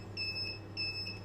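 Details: Inverter running a gas boiler and Wi-Fi router from a 12V 100Ah Electronicx gel battery, discharged to about 10.9V after six-plus hours at -10°C: repeated high double beeps roughly every 0.6 s over a low hum, low-battery warning before shutdown.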